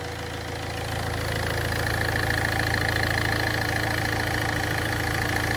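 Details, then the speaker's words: Ford Fiesta 1.4 TDCi diesel after heavy maintenance, oil cooler still to be replaced: smooth, steady idle with a regular low beat and a faint constant whine above it, no knocking; running well. "Aracımın çalışması gayet güzel."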